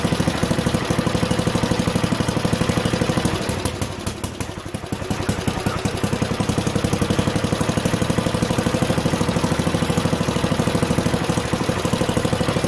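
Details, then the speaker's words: Junkyard Ditch Witch C99 trencher, old, year unknown, small single-cylinder engine: even, fast chug that dips briefly once, then holds steady; running halfway decently, though the self-propelled drive doesn't work. "well i was able to get it running halfway decently but the uh self-propelled feature of it that that doesn't work at all"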